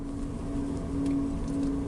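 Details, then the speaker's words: Renault Zoe on the same rough dirt road after the suspension parts were replaced: steady low road rumble and faint tyre hum, no knocks or clunks; suspension now quiet. "Ну нема нема стука нема цих сторонніх шумів все працює так як потрібно"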